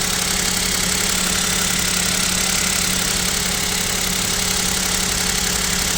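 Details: KIA Picanto 2, 1.0 G3LA three-cylinder, cold idle at about -7°C: fairly regular light knock, roughly three per second, over engine hum; owner suspects piston knock, unconfirmed.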